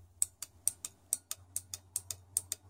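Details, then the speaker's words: Four-pin automotive relay bench-tested with 12 V on pins 85 and 86 and a switch cycled: crisp, clean clicks about four per second, showing the relay coil is working. "you can hear that you can hear it clicking all right so we know that the coil is working"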